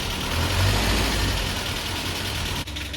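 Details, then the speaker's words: Land Rover Series 3, first run after a head gasket replacement and months idle, just started roughly: fast clatter about four ticks a second over an uneven idle; owner wonders if it is valve clatter or low oil, timing checked as correct; engine clatter at idle. "That sounds pretty good. Bit clattery. Where's that clatter coming from? What's that, valve clatter? Not enough oil?"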